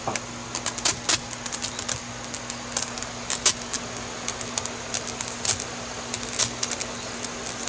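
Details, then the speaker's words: Pressure washer bleeding air from the line before fence washing: sharp, irregular pops, about three a second, over a steady low hum. "Now the first thing you want to do is you want to bleed all the air. You hear that popping? But it'll go pop, pop,"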